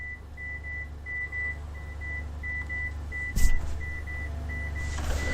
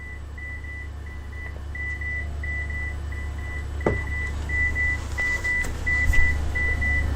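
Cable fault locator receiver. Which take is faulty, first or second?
first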